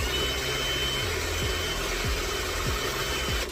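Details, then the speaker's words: VW Polo Mk2 instrument cluster removed after loud screeching while driving, speedo head bench-spun by drill to 40: only drill hum and soft ticks, head quiet; magnet drive fine, speedo cable suspected, to be replaced. "that is going up it's not really making any noise it's a bit quiet the only noise I'm having is a drill"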